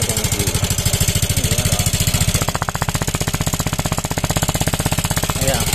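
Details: Yamaha Mio M3 scooter with low compression, possibly from valve clearance: loud, coarse, rapid clatter beats with every revolution over a rough single-cylinder idle. The clatter could also be from the piston, con rod or rocker housing.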